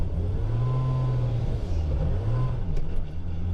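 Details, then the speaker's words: Off throttle, engine note flares briefly as clutches open then drops as they re-engage while driving a 1000 hp single-turbo BMW E90 335 with DCT conversion, Haltech ECU and CanTCU controller; normal clutch-release behaviour. "so just then I was getting a little bit too close to the car in front so I let off the accelerator obviously it releases the clutches if you're wondering why it sometimes revs a lot"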